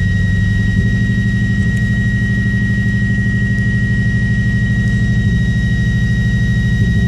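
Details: Subaru Impreza misfiring at idle: low idle thrum with an uneven beat and occasional skipped pulses every second or two; owner suspects ignition coils or MAF sensor, unconfirmed.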